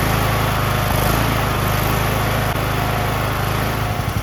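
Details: Rebuilt Briggs 19.5HP engine on a John Deere LA110 lawn tractor after fitting a replacement carburetor and checking the fuel solenoid, idle screw adjusted: steady, even buzz with no surging, sputter or stumble; running normally.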